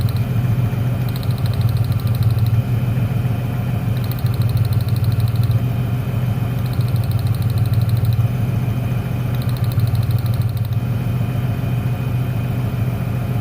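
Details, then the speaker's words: 1996 Ford Ranger 3.0L V6 lacking power, steady idle with an uneven loping beat; unplugging the last spark lead changes nothing, so that cylinder, identified as number 1, is dead; misfire. "el problema está en el último al desconectarlo no se nota ningún cambio en el motor ese cilindro es el que no está trabajando"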